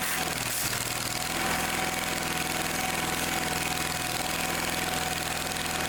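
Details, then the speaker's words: Old Simplicity tractor that wouldn't start, after fuel fitting work, cranked on choke: engine now runs on its own with steady even beat at constant idle, no misses; some gas leaking from a fitting. "well it's running you're working"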